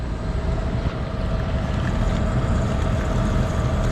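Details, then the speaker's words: York rooftop unit with dual-circuit evaporator coil: steady unit hum with water splashing and spilling from the cabinet side; condensate overflow, technician suspects clogged drain. "Why is there water coming out of there? Why is there water coming off the side over there? You see it splashing. What happened? That drain's got to be clogged."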